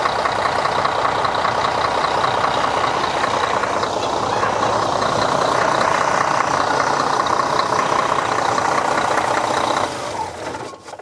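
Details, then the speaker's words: Diesel bus at idle just after an oil change with the oil filter and seals refitted: steady rushing hiss over an even idle; the small filter cover was found sitting slightly crooked, with air suspected escaping around it. "Le bruit, on dirait que le capot du filtreur il est pas, faudrait que je le remette mieux. On dirait qu'il y a de l'air qui sort par là, non ça se passe."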